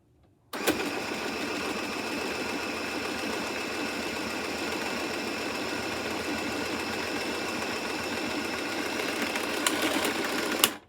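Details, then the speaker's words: Used Michley Tivax Sew & Sew Inspiration 700 sewing machine: fast, even mechanical chatter for about ten seconds with no jam, but it did not sew; owner suspects she didn't hold the thread, cause unconfirmed. "I'm not used to that at all, but it did not sew. It did not sew."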